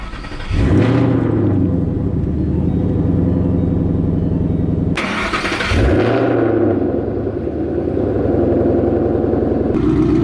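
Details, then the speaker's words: 2013 Mustang GT with return-style fuel system, first startup on an E85 tune: starter cranks, engine catches twice, then settles into a steady, even idle with no misses; running fine. "Seems to be idling just fine. Sounds really good. You can smell the E starting to burn. Fired right up."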